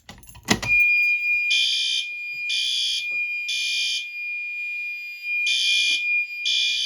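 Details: Fire alarm system test with the panel open: loud, even horn blasts about once a second over a steady high strobe whine; the horn strobe is sounding properly.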